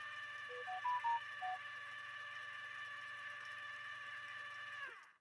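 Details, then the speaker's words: Viking 21E sewing machine in slow gear at 1/5 normal speed: a few short beeps, then an even, steady motor whine with a soft low hum winding down smoothly; normal operation with the motor held back by the gear reduction. "Hear how the machine sounds so different because it's operating with that gear down. It's geared down the machine, a 10-speed bike, and so the motor is not running at the normal pace."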